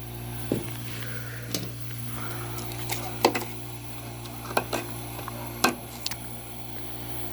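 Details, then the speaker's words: 1970s–80s Oasis refrigerated drinking fountain compressor, run with the control jumped while the evaporator coil frosts. It gives a soft, even, quiet low hum with only a few handling clicks: normal compressor running. "That compressor is so quiet. Sounds good."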